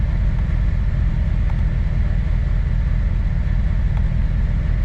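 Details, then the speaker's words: 2008 Corvette C6, LS3 engine: low, lumpy idle with an uneven loping pulse. Scan tool cylinder test shows injectors 5 and 7 not working; owner suspects bad gas or injector clips. Misfire. "so five and five and seven are not working injectors five and seven are not working"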